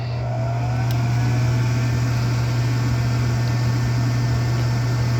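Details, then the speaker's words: Rheem furnace with newly replaced OEM 1.3 A inducer motor, amps good, pulling -1.0 draft: steady, smooth low hum with no rattle, grinding or bearing noise, much quieter than the old noisy motor. "And this is a 1.3 amp motor. Amps are good, and it sounds way better than this one here."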